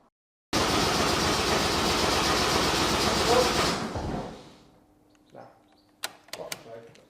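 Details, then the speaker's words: Honda Jazz with a swapped-in Civic Type R K20 engine at first start: about three seconds of even, quick starter cranking, then it winds down without firing; blamed on a poor earth, which also blew the dash fuse. "now it's cranking but it will not fire I think it's probably an earth problem"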